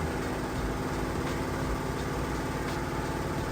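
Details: Samsung VRT HE washer on a heavy-duty hot cycle with a heavy load, at peak spin speed: an even, steady low hum and smooth rhythmic drone with no knocking or scraping. Normal spin cycle.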